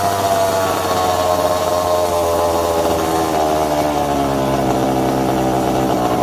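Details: Second-hand 1/5-scale RC Baja with a small two-stroke engine: high-pitched buzz runs steadily, the pitch drifting with small throttle changes, with no stumbles or cutting out, normal running.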